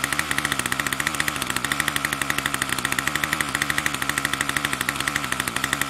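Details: Troy-Bilt TB2MB after a new short block is fitted, primed and choke on: fast, even, raspy buzz held high with no drop to idle; the throttle cable never returns fully, keeping it revved.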